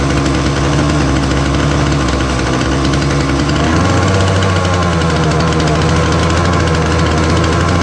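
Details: Titan multi-tool strimmer, nearly 6 years old, small two-stroke on choke after tightening the carburettor adjusting screw: drops to a lower, uneven buzz and never reaches full revs. Fuel lines look worn.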